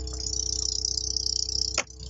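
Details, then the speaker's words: VAZ 2114 interior: fast, high-pitched plastic chattering, about twenty ticks a second, from a loose interior plastic pillar trim panel that stands away from its mount. "автор в общем скрипят вот эти пластиковые стойки вот здесь он отходит и как вы можете слышать очень это очень сильно слышно"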